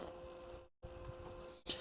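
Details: A 73 mm brushless DC cooling fan spins with a steady, even whir and two clear constant tones, moving a lot of air and sounding healthy.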